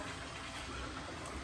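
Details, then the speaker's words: Drag truck build, first power-up after two years and fresh wiring, ice water tank just filled. Smooth, steady whir with a watery rush and no rattle or surging; the electric water pump runs normally. "But the water pump works."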